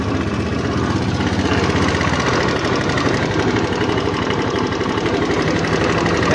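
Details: Honda Beat FI scooter, 2692 km on the odometer, excessive engine noise at idle; rough, gritty grinding churns steadily inside the engine. It persists with the side cover and pulley removed, so the fault is internal: a worn, loose camshaft bearing in the head.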